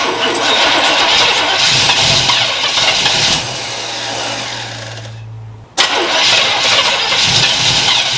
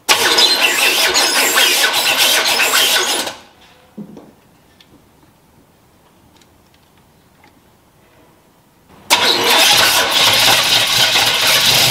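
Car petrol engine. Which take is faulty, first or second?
second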